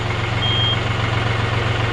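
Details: John Deere 5065E diesel tractor just after fitting a replacement starter: steady, low, even diesel thrum holding one speed without misses or knocks; a healthy idle.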